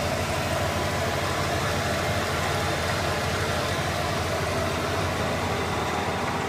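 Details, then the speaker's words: Dodge Ram 2500 that kept stalling at idle, especially warming up cold, after replacing the idle air control valve: smooth, even idle with a steady low rumble and no dips, hunting or stumbling; holds idle speed cleanly. "uh everything seems to be running correctly so I'm just going to assume that did everything right"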